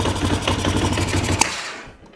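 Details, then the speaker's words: 1998 Honda Recon 250 ATV after top-end rebuild, held on brake under load: uneven hard clattering knocks over a rough low engine note, one sharp bang near the end; much worse loaded than with wheels lifted, cause unclear. "Well, that sounded rough. As soon as I held the brake and the motor was under load, it sounded bad again."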